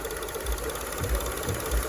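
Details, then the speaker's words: 2002 Acura RSX Type S, K20 engine, warm after running a minute or two: idle surging/hunting stops when the idle air bypass is plugged off; low, steady idle with soft thumps, pointing to a faulty idle air control valve. "We're going to plug it off. Okay, you hear that? No more surging."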